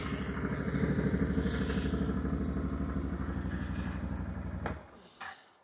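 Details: 2022 Can-Am Outlander 650 XT after fuel pump fuse fix for a won't-start fault: catches quickly and settles into a steady, even idle, then shuts off cleanly; normal start and idle.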